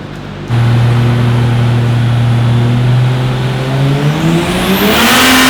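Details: Ford Fairlane drag build full-load dyno run after replacing crusty parts suspected of arcing: pitch climbs smoothly to top end, no stumble or breakup; pulling cleanly, peak numbers reached.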